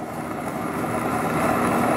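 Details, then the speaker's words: DC electric motor, 250 V DC, on antique Hyster forklift undergoing Cummins 8.3 L swap, run on low voltage: steady whir under load with hissy crackling fizz; brushes arcing on commutator, low voltage blamed. "you can hear those brushes arc and i'm gonna have to work on that motor doesn't help running low voltage on here"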